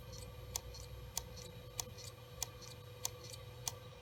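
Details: WD Caviar Blue hard drive, secondhand, sat a year in a school classroom: sharp ticks about every 0.6 s over faint hum on power-up, click of death from a failing drive, suspected not confirmed.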